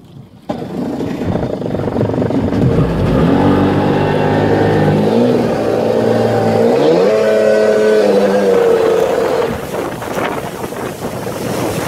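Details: Sea-Doo XP two-stroke revving unevenly with a ragged, stumbling beat as pitch climbs; misfire from a bad voltage regulator letting the ignition see 17 volts.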